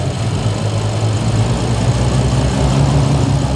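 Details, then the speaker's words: 2011 BMW 535i F10, N55 engine with straight pipes, auction car: loud rough lumpy stumbling idle from a dramatic misfire; compression checked healthy. "as you can see it's running really rough"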